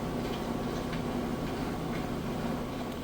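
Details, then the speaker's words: Refurbished Kenmore front-load washer in its final max-speed spin with the drain pump running: a fast, even whoosh with a steady hum and no thumping or banging. Smooth, balanced operation. "you can see spinning super fast Max extracting the water out of those clothes nice smooth operation you hear the Dr R drain running"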